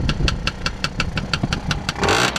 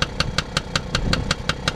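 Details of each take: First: Tomos A55 two-stroke moped idling after coil pack refit on original stator: fast, even ticking rattle over the engine note, like a slightly slack drive chain; chain rattle suspected, not confirmed. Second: Tomos A55 moped running on its original stator after reassembly: a small two-stroke runs evenly with a crisp, regular light tick about five times a second, with a chain possibly needing tightening. Steady and healthy.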